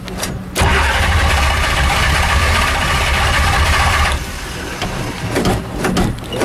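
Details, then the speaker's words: Shelby Daytona, cold start after sitting three months, full fuel tank, battery good: starter churns unevenly about three and a half seconds without catching; long crank, no start, cause not yet known. "just been sitting a while smell gas anybody smell gas"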